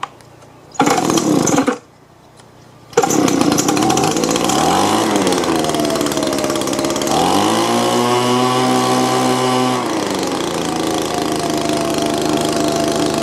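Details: Old Echo leaf blower right after a fresh carburetor install, primed and choke on: a couple of pulls, then it catches, revs unevenly and hangs at a high, unsteady idle; running better but still rough, owner suspects the plunger adjustment.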